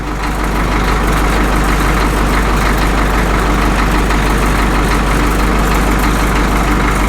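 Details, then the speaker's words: Caterpillar D2 (serial 5J1113) diesel that had an intermittent pop: even chug at about three beats a second with no pops or misses. Normal idle, the best it has sounded. "I think this sounds better now than it has since it's ran. I like it."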